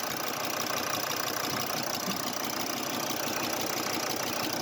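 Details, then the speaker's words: Volkswagen Crafter 2.5 TDI (BJL) diesel idling, neglected van, cold or warm engine: worn hydraulic lifters give a light, fast ticking clatter like fingernails on piano keys, plus a hollow manifold bu-bu-bu. "И хотим, чтобы все послушали, как стучат гидрокомпенсаторы на этом двигателе."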